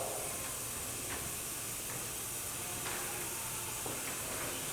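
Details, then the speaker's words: Old-style autoclave heating its water to a boil: steady, loud airy hiss with a few faint ticks as steam vents through the open steam trap/bellows until it nears the boiling point and the trap closes. This is normal. "What will happen is it'll start to boil the water. You'll hear loud hissing sound until the steam coming out of the chamber reaches approximately the boiling point of water."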